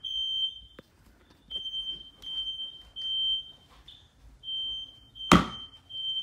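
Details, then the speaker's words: Fire-X smoke detectors installed in 1999 (about 20 years old) sprayed with test smoke to check them and their interconnect. A shrill steady tone near 3 kHz sounds in repeated bursts. Only the downstairs Kidde alarm sounds properly; the others are judged broken. "The only one that works is the one downstairs. Oh my gosh, that was them all going into alarm."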